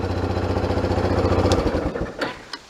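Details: 1991 Kawasaki Bayou 300 ATV started after fresh gas and a new pull starter: about 1.5 s of even single-cylinder putter, then it drops away; sounds like a healthy start.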